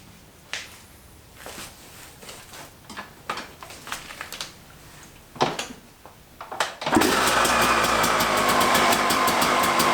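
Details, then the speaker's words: Suzuki RM250 two-stroke dirt bike after repacking the exhaust silencer and fitting a seat cover, first start on the channel: catches after several kicks and settles into a crisp, even, ringing idle, no knocks or rattles; normal running. "Alright, the seat cover is all stapled and put back on, and now that we have everything done, we're going to start it up since I haven't had this thing running on the channel yet."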